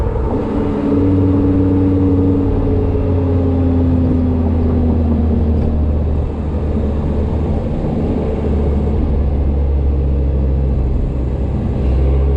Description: Not sure if this whining is normal or not